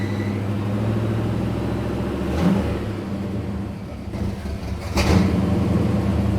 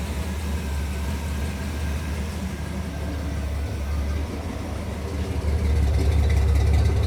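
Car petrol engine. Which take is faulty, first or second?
first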